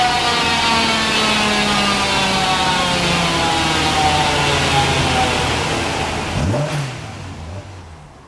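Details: Mk1 Ford Escort after rejetting from 140 to 125 main jets because it was overfuelling, on a full-load power run: clean steady rise through the revs with no misfire or stumble, then backs off; fuelling now okay.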